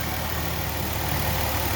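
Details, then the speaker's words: 2003 Ford Escape 3.0 V6 with code P0405 (EGR low), EGR valve opened with a hand vacuum pump at idle: idle turns lumpy and uneven as expected, while the DPFE sensor shows no flow change. "that's opening up the egr valve right now as i'm pumping this thing up that's why the motor's running like crap"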